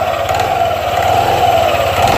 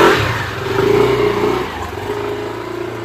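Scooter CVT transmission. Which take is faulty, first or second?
first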